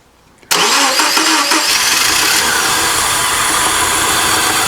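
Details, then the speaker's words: Subaru Impreza crank-no-start, part 2, with the old crank sensor refitted and injector pulse confirmed: loud rough cranking catching in uneven bursts as it tries to fire, without settling into an even idle; cranking, trying to fire. "So, we got injector pulse. And it sounds like it's trying to fire."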